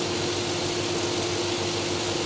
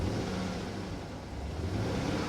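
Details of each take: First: Chevrolet Tahoe, 4.8 V8, quiet exhaust: soft, steady, even hum at idle with no knocks or misses; very quiet, normal idle. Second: Repossessed Chevrolet Tahoe V8 at auction: low, lumpy idle with an uneven stumbling beat that never settles, running awful, likely misfiring; the transmission also has no forward gears and a whining pump; cause unconfirmed.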